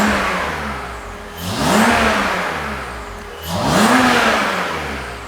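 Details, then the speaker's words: BMW E39 530i Touring after fitting Infinitas supercharger, new louder injectors and tune, first start warming up: smooth revving blips with supercharger whine climbing with revs, steady idle between; engine runs smooth and healthy. "that sounds sweet to me and the idle is pretty good all right let's go for a [Music] spin Autobon"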